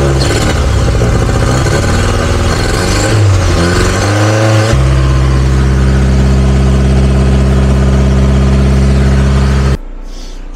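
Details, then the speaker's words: VW Golf restarted easily, revs rising and falling then settling to idle with a quick puffing tick about 220 a minute; exhaust leak, owner suspects the manifold or the exhaust line. "les gars comme vous avez pu le voir la Golf redémarre sans trop de problème le problème c'est qu' a encore une fuite d'échappement donc soit c'est le collecteur qui est pété soit c'est la ligne mais il y a un problème"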